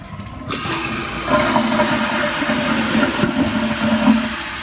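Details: Church restroom toilet with a relatively new flapper, tank lid open: strong even rush of water swirling down, then a steady refill hiss with no gurgle or hesitation; a healthy flush.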